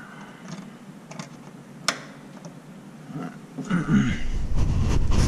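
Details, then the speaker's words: Old points-ignition engine with the ballast resistor bypassed by a jumper wire. Catches and settles into a low, uneven rumble. Starts only with the resistor bypassed; without it there is no spark. The cause is unresolved and the owner is stumped. "starts up I don't get it I don't so if anybody's got any knowledge on the old system like this point system give me some insight on what's going on here"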